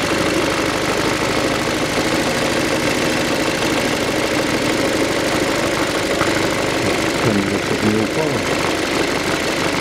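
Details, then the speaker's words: 2007 VW Passat B6 2.0 with codes P1400, P3089, P1063, running with a steady dull drone and low wavering hum like a steam locomotive on revving; source not pinned down, EGR valve suspected: humming drone on revving. "он завелся все равно 2 гудящий такой был потолком и [музыка] его именно вот этот звук паровоза"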